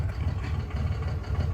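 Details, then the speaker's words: Cummins diesel truck, injector cutout test: deep idle dips and roughens as one cylinder is cut, showing that injector, one of two replaced, is working. "That one's definitely working too. Those are the two that are replaced."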